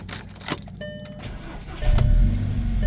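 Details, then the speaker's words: VW Jetta MK6 2.0T TSI restarting after a high-pressure fuel pump replacement (it previously had hard starts, worse in cold): brief crank, catches at once, settles into a steady idle with no stumble or hesitation; starts right up, no leaks. "Looks like the Jetta is back. No more leaks. Starts right up."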